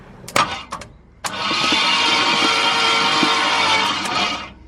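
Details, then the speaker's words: 1964 Ford Galaxie, first crank after work, not yet set to run: after a few clunks the starter spins the engine about three seconds in an even, fast whirr with no binding; it now turns over freely. "It spins over now."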